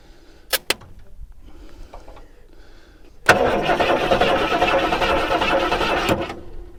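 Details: 1973 Mustang Mach 1, sitting about 15+ years, battery not dead: steady rhythmic starter cranking about three seconds with no firing; cranks but won't start, no spark because the ignition coil gets no power.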